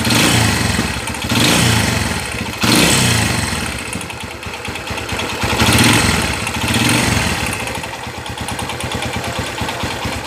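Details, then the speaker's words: Kawasaki Barako 175 single-cylinder after overhaul with two new crankshaft bearings and rebored cylinder, previously very noisy: throttle blips then smooth, even idle. "start natin yun oh yan ang tunog ng barako napaka smooth wow"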